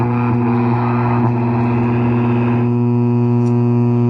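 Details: Old Lafayette radio, first power-up without prior testing: loud, steady low mains hum with no variation drowning everything out; bad filter capacitor, otherwise radio works.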